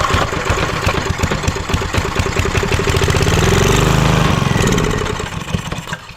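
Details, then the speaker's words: Vintage Homelite generator, possibly late 1970s, stored about 30 years; carb cleaner sprayed in and choked; catches and chugs unevenly for a few seconds, swells, then dies; engine starts then stalls. "Ooh, almost. I took the choke off, or put the choke on, it ran for a second more, and then it died."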